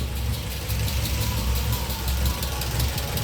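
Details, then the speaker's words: Audi 80 B2 four-cylinder idling while warming after spark plug check: low steady burble, slight unevenness, no misfire gaps. All plugs look good and identical; tuning not perfect; owner says it runs very smoothly once warm. Normal idle. "Et puis dans tous les cas, on entend que le moteur tourne bien quand même. Il est assez régulier, ça va, malgré que le réglage soit pas forcément au top."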